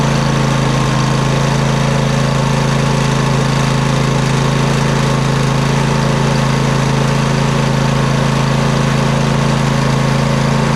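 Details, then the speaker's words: Poulan Pro 700EX riding mower twin, both plugs reconnected after running on one cylinder: steady, even idle on both cylinders, no misses or pops, smoke from the long-unused side burning off; normal idle, everything working properly. "Well, besides all the smoke rolling off of it, burning off of that side that hasn't been ran in quite a long time, I would think, everything's working properly."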